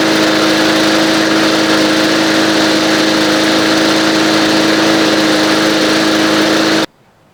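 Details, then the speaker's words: Old green push mower, nearly out of gas, after its carburetor was removed, cleaned and reassembled; smooth steady buzzing drone at even speed without surging or sputtering until it shuts off; runs normally. "I was going to junk it, but I tore the carburetor off and sure enough. There you have it."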